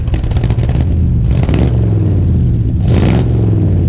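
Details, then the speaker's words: 1970 Ford F100 V8 after 15 years sitting, following carburetor rebuild and new spark plugs: deep, steady rumble with clean throttle blips, no misses or knocking; runs well though smoking a lot. "She sounds good and runs really good now."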